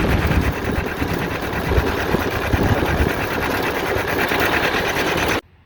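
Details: John Deere Model R tractor big diesel engine at first start after the pony motor was rebuilt, reinstalled and used to start it, following injector work and freeing a sticking fuel rack; fast, even rapid patter of firing with no misses or knocks; normal running.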